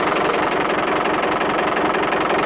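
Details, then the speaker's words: 1990 Iveco Daily 35-8 old diesel at idle on Mecarun Eco 10000 additive: harsh, rapid, loud steady clatter, much noisier than before, with heavy smoke; owner suspects the additive loosened dirt in the tank or fuel circuit, or captured moisture. "Puis il fait vachement plus de bruit. Ah, ça me plaît pas du tout."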